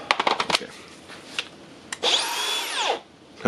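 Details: Makita DGA504/506 angle grinder with stuck, broken gear housing, gear released: a few clicks, then the motor whirs up to a high whine and winds down within a second; the motor itself spins freely.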